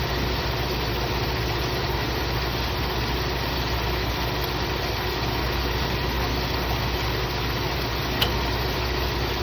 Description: Is this sound coming from the ac clutch or the compressor?